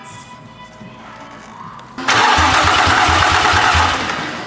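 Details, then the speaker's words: A 2005 Infiniti G35 cranks but won't start: an even starter rhythm of about three pulses a second that never catches. There is no spark. An unclamped coolant-sensor connector was found and the ECU checked fine, but the cause is still unresolved. "ECU ECU is fine we have no spark or no fuel the sensor I found shouldn't fixed the problem"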